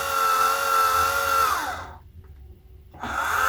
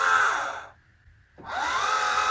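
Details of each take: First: Orion XX14g GoTo Dobsonian telescope on 12 V DC, SynScan hand controller: smooth, steady azimuth motor whine that stops and ramps cleanly back up; motor sounds healthy, but it runs about a second before any movement shows. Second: Orion XX14g 14-inch GoTo Dobsonian telescope, SynScan-controlled, during restoration: the azimuth motor's high whine cuts out for about half a second, then winds back up. Owner suspects too much gear slop, something loose where the gear attaches to the base.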